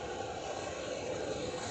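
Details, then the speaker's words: Whirlpool 24-inch compact auto-reversing dryer, reconditioned, running with no vent hose attached: steady even rush of air from rear exhaust, no knocks, rubs or squeals; normal operation. "So right now you got the dryer running, and that noise you hear is just the air coming out of the back, alright?"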